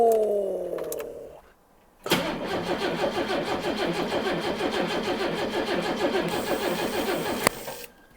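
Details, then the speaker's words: Late-1980s turbo-converted four-door barn find, not driven in decades, powered by jump pack and batteries: starter winds down then cranks steadily with rhythmic chug but never fires; pulleys not seized. "it's turning over for ages without firing at all"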